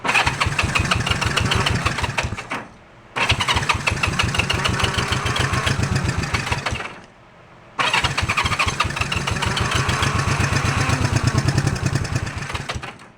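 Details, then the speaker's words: Honda CB350 twin, first start after carburettor work on a jumper pack: short lumpy, uneven chuffing that cuts out; runs on one cylinder, with no spark on one side, as its points are not flashing and pulling the other plug killed it. "I think somebody cranked it up because it was running on one side. But we'll see."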